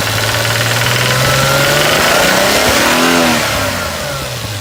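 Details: 1989 Toyota Supra MKIII 7MGE engine with a light, fairly regular knock around 1800-2000 rpm; owner hears the injectors and doesn't think it's them, suspects the valves, unsure whether it's normal. Engine knocking.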